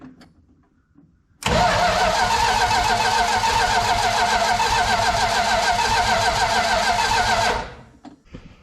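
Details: 1972 Plymouth Fury III that suddenly died while running: steady starter cranking at about three and a half turns a second that never catches; test light on coil negative doesn't pulse, ignition fault suspected; crank, no start.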